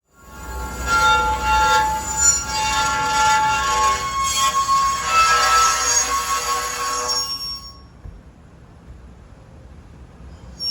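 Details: Acura MDX screeching from the wheels while driving: a high, steady, piercing squeal over wheel noise that then drops away, caused by a pebble trapped in the brake; brake cleaner used in the fix.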